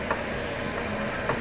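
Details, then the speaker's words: 2003 Honda Element: two dull single clunks about a second apart, heard only when moving and turning the wheel as in parking, not over bumps. Worn left front strut clunking; the right strut separately squeaks. "so I guess guess that's what that clunking noise is cuz it's kind of weird because if you when I was on a road test hitting bumps and everything didn't make a clunking noise it's only if you're moving and turning the wheel say if you're in the park"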